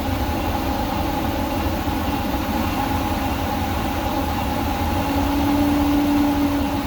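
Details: Workhorse W22/W24 chassis 8.1 Vortec with radiator blocked off, engine at 225°F: steady deep rushing roar over smooth idle as the fan clutch locks up late (expected near 205); normal engaged fan clutch pulling hard.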